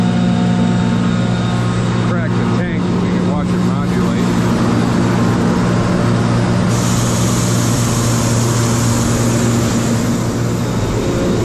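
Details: Kaeser DS200 150 HP air-cooled rotary screw compressor, 460 V three-phase, built 1990, 47,597 load and 56,834 run hours, with new oil and filter. It gives a steady low electric drone with constant air rush and no knocking or squeal; works as it should.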